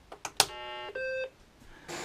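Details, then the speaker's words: BBC Micro Model B switched on for the first time in years, untested beforehand: a few clicks, then a short high beep and a second steady tone; the normal distinctive startup chime, so it powers up fine. "sounds very promising because that's a distinctive sound the BBC mix"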